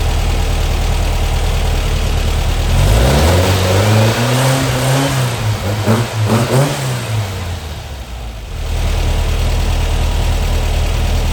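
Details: Brand-new Powerhaus VW 2110cc air-cooled engine on its first start, timing a bit off, before the valve adjustment and carb sync: a smooth idle, then clean even revs with no knock or miss. Slight valve noise on one side is expected. Normal running and revving.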